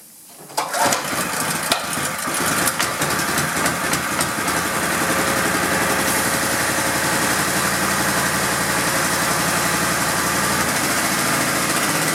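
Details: Honda GX pressure washer engine that sat 10 years, after carb cleaning, old fuel drained, coil re-gapped, magnet cleaned, engine and pump oil changed and pump mounted. It starts on the first pull and runs steady and even, normally.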